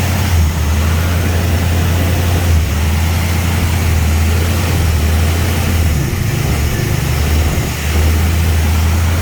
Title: hard start then surging idle